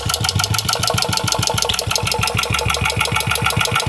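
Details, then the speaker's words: Antique Clinton vertical-shaft single-cylinder engine converted to horizontal shaft, at low speed: a sharp knock on every firing stroke that changes when the crank is lifted, from a badly worn main bearing beside the flywheel. "now listen when I lift up on you hear the noise change here at knocking that's because I'm lifting the crank up the explosion's driving it down so it's banging up and down in the main"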